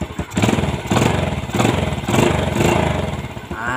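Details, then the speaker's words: Motorcycle single-cylinder engine restarted after repairing a stripped spark plug hole without engine teardown, with a new D6 spark plug and new plug cap: catches and runs with a steady quick pulse, no misfire or popping; normal running. "OK, let's turn it on again to check it. Once on, it's alive."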